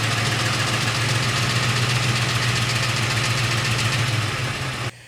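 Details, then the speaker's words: 2007 Ford F-150 with the 5.4L 3V engine at idle: a fast metallic rattle like BBs shaken in a can, the VCT cam phaser rattle it has had for about eight years, not louder than before. "e describe it pretty much the way I would which it sounds like you've got bee bees inside of a metal can and you're shaking it back and forth violently and that's what this one sounds like and it still makes that rattle noise to this day"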